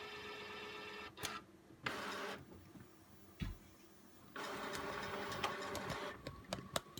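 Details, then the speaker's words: New Epson SureColor P600 printer, first use, front manual feed tray loading thick media: short whirring motor bursts with clicks as it grabs the paper, then a longer feed run; normal paper feed. "Oh my goodness. Alright, so it just grabbed the paper."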